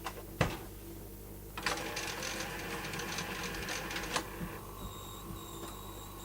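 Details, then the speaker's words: Sanyo Beta video recorder (VTC5000/VTC5150 series), working with clock on. The mechanism clunks and whirs into play, then a thin high-pitched squeal comes and goes from the tape transport, with many dropouts on playback. "You can hear it squealing, and there's a lot of dropouts on this tape."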